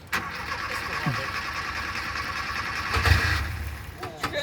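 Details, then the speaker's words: 1975 VW Rabbit (Mk I) with an aggressive timing tune: the engine churns on the starter for several seconds, stumbles and briefly flares before firing. Long, hard start; the owner suspects the aggressive timing causes the weird starting, but this is not confirmed. "well normally it starts right up man it's got a complex today"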